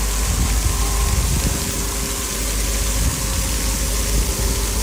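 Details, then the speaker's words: Engine-driven water pump after rebuild with new impeller and repaired threads, emptying a 1000-gallon tank; steady even low engine drone with no knocks, surges or rattles, pump working, normal running. "we got our baby back to dump this water down the road success pumps working finally"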